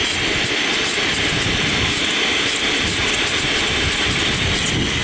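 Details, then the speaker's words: Live steam model J94 Austerity tank locomotive, injector operating normally: water on, steam valve opened slowly, injector picks up and feeds with a steady hissing rush and faint fluttering chirp; it works properly only with cold water. "turn the steam valve on slowly the object will pick up and start to feed and you'll hear that sort of chirping noise when it's teasing"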